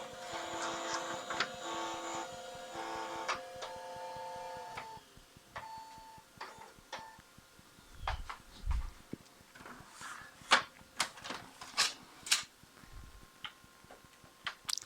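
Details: Lenovo 7216 all-in-one printer showing a "cannot scan AF" error: warms up with motor hum and steady tones, then scattered clicks and knocks from the scanner carriage; ribbon cable or scan head suspected.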